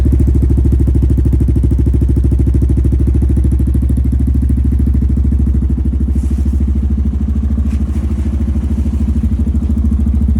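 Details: 2022 Honda Rubicon with full HMF performance exhaust, first start after about a week sitting in an unheated garage, still cold; deep, even exhaust putter at about three pulses a second, smooth with no misfire. Healthy idle.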